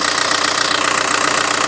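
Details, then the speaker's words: VW Touran MkI 1.9 TDI diesel idle after replacing accessory belt tensioner: even steady diesel clatter, no clanking or belt slap, belt no longer flexing; running smoothly. "Sweet. Yeah, no clanking now. Running nice and smooth."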